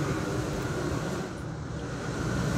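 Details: Newly wired rooftop air conditioner in a bus conversion running after start-up at 70°F inside. Steady, even airy drone with a low hum underneath and no rattles or squeals; running normally.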